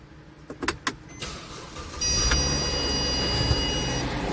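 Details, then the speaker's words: Mercedes-Benz E350 running after start, owners complaining of extraneous engine noise: harsh, rattly drone with a thin whine on top, a loud clatter as if something is falling apart; the alternator is suspected to be failing (bearing noise), to be checked with the drive belt removed. "какой там грохот стоит Я уже [музыка] что-то там разваливается что-то мне подсказывает что генератору очень плохо"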